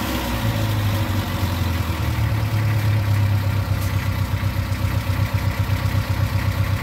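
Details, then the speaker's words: 1995 Plymouth Neon after Motor Medic crankcase flush and highway drive: light steady ticking about four per second over low idle, quieter than before; owner suspects rockers not pumping up and one cylinder slightly low on compression. "i mean it does still sound like it's a little down on one of the cylinders like maybe a little lower compression still ticky but not as loud as it was"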